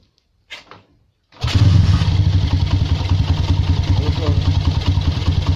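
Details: Honda CB motorcycle brought in for a rattling top end, with cam chain tension fixed by adjusting the weak tensioner without new parts: engine catches after a pause and settles to a steady even idle with no chain rattle; healthy.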